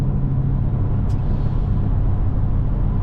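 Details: Chrysler 300 SRT8 Hemi under way after curing a ticking noise: steady low rumble, smooth and even with no tapping near the bellhousing; drivetrain sounds healthy.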